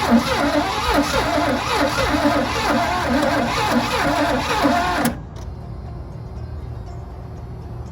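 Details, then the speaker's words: 1986 GMC Sierra engine that sat 10–15 years, new distributor and plug wires restoring spark, with only a little gas in the carburetor; cranking about two beats a second with a few ragged catches, then it stops: fires briefly but is fuel starved. "An engine that's been sitting 10 to 15 years and you just put very little amount of gas in the carburetor and it hits like that. This is the engine is gonna fire up. We just got to get fuel"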